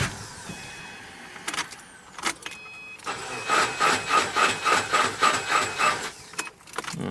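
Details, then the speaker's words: Subaru WRX after JDM engine swap, first start attempt on base tune via Accessport: starter cranks in slow, even pulses, three or four a second, never catches; starter or battery suspected weak, owner later suspects cheap injectors. "the starter's dying, or the battery's dying. Yeah, we need more power."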